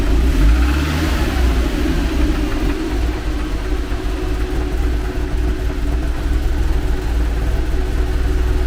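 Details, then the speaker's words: Renault R11 TXE being restarted after fitting a new tensioner pulley, not yet warm (fan cuts in at 87–88°C): with the choke pushed fully in, revs sag and settle into a low, lumpy idle; owner suspects too little idle or mixture richness, plans raising idle. "Qu'est-ce que ça manque de ralenti ou de richesse ? Là, j'ai repoussé le starter à fond. Elle tient mais elle tombe comme une patate."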